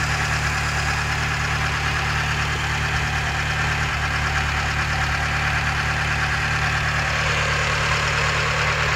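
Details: Mitsubishi 4G13P engine at steady idle with a light, irregular knock about 1.5 per second; valve clearance problem suspected, not confirmed.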